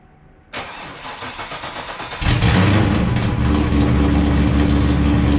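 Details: Wrecked C5 Corvette Z06, started in gear with clutch let out to test transmission and diff; cranks, catches, steady run, no grinding, binding or weird noises: healthy drivetrain.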